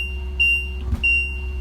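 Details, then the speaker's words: RV leveling panel alarm while retracting the jacks, engine on and parking brake set: high electronic beep in repeated half-second bursts. Retraction aborted, possibly because the button was released too soon; acknowledged with Enter. "So it wasn't that loud, but if it's function aborted. So if you see that it aborted, just go ahead and acknowledge that it aborted."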